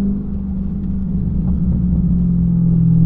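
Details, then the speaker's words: Hellcat with a broken transmission that is getting worse. A deep burble is heard with a low drone rising as revs fall on lift-off. The owner considers a whole new transmission or swapping in an old torque converter; cause unconfirmed. "a nice burble going on though but listen to the broken parts oh man God"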